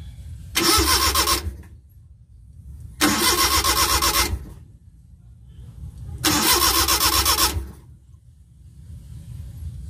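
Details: Multicab with F5A 6-valve engine that won't start. Three starter bursts of about a second each with a steady cranking rhythm, but the engine never catches; cranks but no start.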